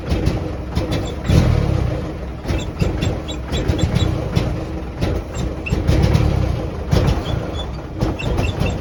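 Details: 1949 Jeep CJ3A hard start and rough running after sitting since last fall, despite new coil, points, rotor, cap, clean plugs, fresh fuel and two-year-old carb. Uneven, lumpy running with irregular stumbles and surges; owner suspects points or a stuck valve.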